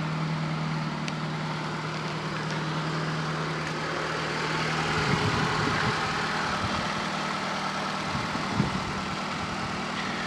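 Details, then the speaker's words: Fiat Panda 4x4 Sisley fuel-injected engine after a cold start, idling while warming up; steady, even idle with a soft low hum and no knocks or misses, a normal warm-up idle. "cold sounds like it's time to warm up already pretty good stuff"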